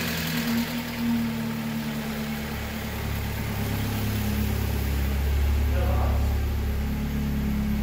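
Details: Car's first start after replacing a worn turbo with excessive play, smoke burning off: steady, low, even idle with no knocks, whistles or surging; healthy and settled.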